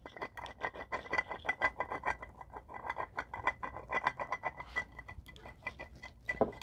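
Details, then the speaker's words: Old water pump from BMW E70 X5 4.8 spun by hand gives an uneven gritty rasp of rapid clicks, while the new pump turns silently: worn water pump bearing. "that's not supposed to do that this one new one nothing"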